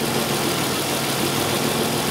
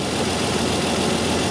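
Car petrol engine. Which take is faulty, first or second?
second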